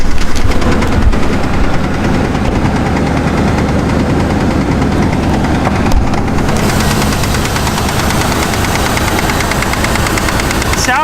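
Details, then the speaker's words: Mountaineer truck engine at idle: loud steady rapid knocking over the idle, seemingly strongest on one side, no misfire, oil pressure perfect; owner suspects a lifter/lash follower on that side or bottom-end bearings, not confirmed. "that's a hell of a knock on truck runs perfectly doesn't have a miss oil pressure perfect"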